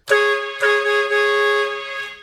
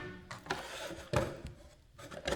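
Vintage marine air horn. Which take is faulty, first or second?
second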